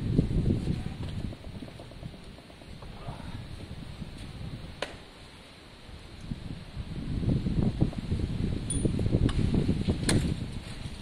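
Uneven starter churning at roughly three beats a second, the engine catching weakly but never firing up: cranks without starting, low compression.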